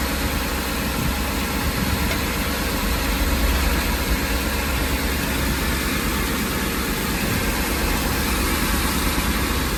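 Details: Ford E-350 van engine at idle: a steady, low idle with an uneven, lumpy shake and no clear tick. The rough idle sets no misfire code, and the cause is not pinned down.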